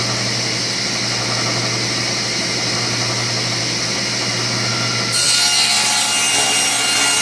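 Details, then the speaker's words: King Cabinet table saw after bearing repairs and table alignment, ripping a 2x4: hum then harsh hissing rasp as the wood rubs the blade teeth at the back of the cut because the rip fence is set too close at one end. "my fence is a little too close on this end I don't know whether you noticed I was cutting cuts good here but I'm still it's rubbing on the teeth pretty bad at the back to finish the cut"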